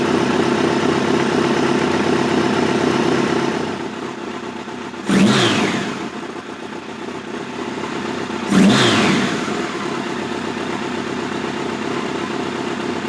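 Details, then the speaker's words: '86 Voyager XII 1200 during carb synchronization, main air box removed, idle brought down to spec: two sharp pops a few seconds apart at low idle. Popping at idle; cause unconfirmed, possibly the missing air box. "It's a little bit better, but when I bring the idle down to where it's supposed to be, you hear that D-cell pop. Well, that also could be the fact that we don't have the main air box in."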